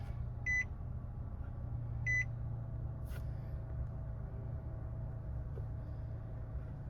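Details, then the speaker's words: 2017 Nissan Rogue Sport/Qashqai MR20DD with a VIN J relay crank-no-start problem (P0626): two short chimes, then an even, steady low engine rumble with no stumbling or knocking; a normal crank and start. "See that? That's a normal crank right there."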